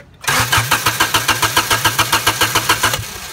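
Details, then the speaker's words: Honda after an engine swap, headers only with no exhaust, died after a bump; a ripped starter vacuum hose was fixed earlier and grounding is being tried. Starter spins evenly for about three seconds but the engine never fires: crank, no start. "so come here so you know the engine is cranking but it's not starting"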